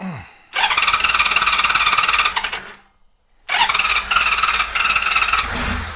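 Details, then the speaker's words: 1999 Honda Valkyrie Interstate, unrun for years, carburetors needing work, fuel turned back on and richened: spins up in a fast, even beat, fades out after two seconds, restarts and wavers; won't hold idle, cause unconfirmed. "does not want to stay running that idle at all it's almost like the idol is"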